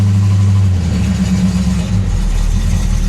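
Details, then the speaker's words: Dodge Dart Swinger 340 V8, 63,000 miles, mechanical fuel pump, long-sitting, just started cold on choke: deep steady burble idling on its own off throttle, slightly rough early until choke opens; healthy idle. "I'm not even on the throttle anymore guys she's idling on her own just like that"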